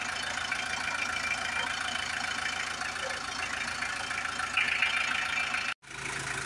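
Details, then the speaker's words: Hyundai H100 with D4BB diesel engine, idling after a top overhaul done for a noisy engine and weak pulling, started before full reassembly: even, steady clatter with no heavy knock; the former loud knocking is gone; normal idle. "ayos na. Wala na yung kalampagan yung ingay."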